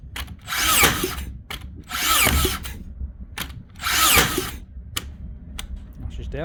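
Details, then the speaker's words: Makita DBN600 cordless finish nailer that misfired and didn't fully sink nails, after greasing in place of new O-rings: three clean spin-up whirs, each ending in a sharp shot; every nail fired, big improvement, though one jammed. "firing them shot them all that time that's definitely an improvement"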